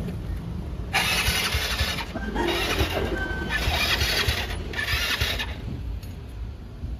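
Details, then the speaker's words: 2019 Yamaha Mio Sporty scooter after repair of no-compression fault (leaking valve not holding pressure; spark plug thread possibly stripped): catches straight away, firm even revving bursts without stumbling, now starting and running properly. "Tingnan mo ngayon mga kayagi, antar kagad."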